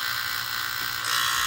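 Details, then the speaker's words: Utica gas boiler running during maintenance: a loud, steady, harsh electric buzz with a hissy edge from the gas valve, whose top feels warm; the valve is quoted for replacement. "you just noticed this huge huge sound coming from the gas valve and it's it feels like the actual top of it feels pretty warm"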